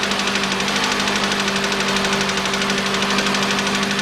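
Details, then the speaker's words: 2013 Mitsubishi ASX 1.8 petrol, CVT, 390,000 km, replacement engine fitted at 220,000 km: cold idle with uneven piston knock about three times a second and shaky misfiring stumble; engine to be removed and opened. "до сих пор стучит поршень Поэтому в любом случае надо вскрывать смотреть"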